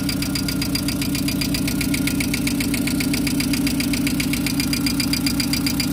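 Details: VW Gol engine at steady idle: a light, even tick of about 2.5 taps a second from noisy hydraulic lifters (tuchos) that are not charging.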